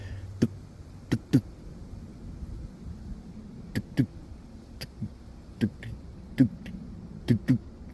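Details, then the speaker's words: Panther-platform Ford/Lincoln/Mercury at 255,000 miles, engine running; sharp dry clicks about once a second, uneven spacing, over quiet engine hum: failing blend/mode door actuator motor behind the dash. "I can hear it now whenever the vehicle's running you can hear the the blend door behind or one of the mo mode doors"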